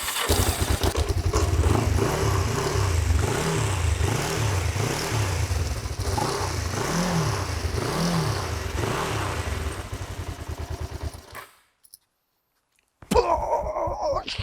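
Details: Kawasaki GPZ 500S twin revived after three to four years outside: revs up and down in smooth, even blips about every second and a half, then drops off cleanly. Engine sounds healthy.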